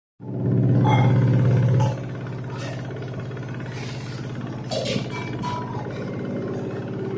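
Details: LG 2-in-1 washer-dryer (10.5kg wash/7kg dry) during spin: the drum spins with a loud steady hum and a rhythmic thump about three times a second, with heavy shaking and vibration. Cause unclear.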